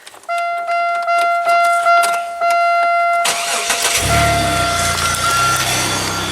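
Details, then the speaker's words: Car just refilled with oil after a friend ran it badly: door chime beeps, then the engine cranks and catches into an uneven, stumbling idle with a steady miss heard on cylinder 5; owner says the motor is otherwise unharmed; misfire. "I'll fire it up so you guys can hear it. It's got a major miss from him not running it right."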